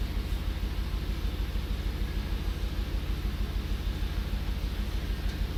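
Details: 2003 Audi RS6 V8 with replacement ECM: quick steady lopsided thumping about three beats a second as cylinders 2 and 7 misfire, caused by the faulty replacement computer.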